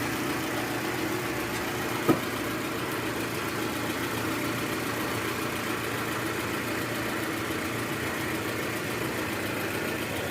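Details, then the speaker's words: 2013 Toyota Alphard with 2AZ-FE engine, after replacing the broken balancer shaft: smooth, even idle with a steady low hum and no knocking or roughness. "oke sekarang suara mesin jauh lebih halus jadi memang penyebab suara kasar di awal tadi itu adalah balancer shaft yang udah hancur"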